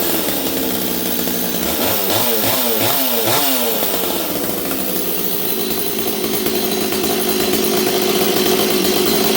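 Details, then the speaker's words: Stihl 026 chainsaw, rebuilt, already warm: revs unevenly and burbles instead of a clean scream. Carb deliberately set rich to four-stroke, after it previously leaned out badly when cutting. "okay you can see this thing's a little Rich right now I set up the carb so that it would really blubber cuz I wanted to hear it blubber"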